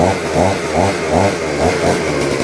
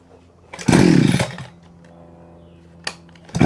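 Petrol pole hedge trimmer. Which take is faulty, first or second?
first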